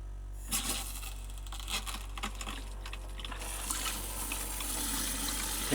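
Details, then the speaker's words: RV (Roadtrek) water pump running during leak check after shower faucet replacement and quick-connect fitting, while running out of antifreeze: low steady pump hum under running water, no stutter or cycling; working normally. "So I'm running out of antifreeze, so you can hear the pump running. So I think we had a success."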